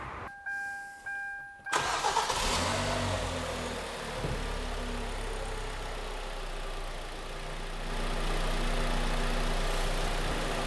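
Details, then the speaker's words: 2011 Kia Cerato, G4KD engine, 211,000 km, no catalytic converter, started after engine repair for knocking: dash chimes, a short crank, then a soft, calm, quiet, even idle with no knocks; sounds healthy. "Как мягенькая работает спокойно и тихо да без катализатора машина никаких этих там нету да шумов да"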